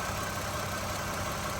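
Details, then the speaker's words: 2013 Toyota Sienna Limited after replacing water pump, idler pulley and serpentine belt: smooth, steady idle with even hum, no squeal, chirp or rattle from the belt side; engine-compartment noise gone. "all right mission accomplished no more noise from the engine compartment"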